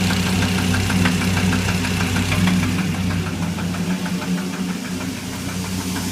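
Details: Dodge SRT10 engine at steady idle: sharp regular ticking knock about three times a second over the engine drone; engine knock.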